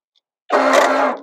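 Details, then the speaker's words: John Deere X320 mower, carb sprayed, half to full throttle, starter shedding broken pieces: short, high, even whir spins up and dies with no cranking; starter not engaging, likely missing rubber preload spacer, flywheel not seized. "and that doesn't sound good yeah it's not not engaging shoot so that means what does that mean that means one of two things either because doesn't have that preload which is the likely culprit or the flywheel is seized which it's not"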